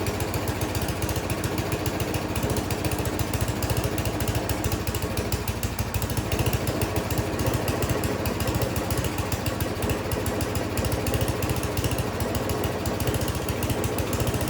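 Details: Yard Machines 24-inch snowblower with a Tecumseh 8 hp engine at full throttle, after service and carburetor cleaning: choppy single-cylinder beat whose speed wavers; still surging and running rough.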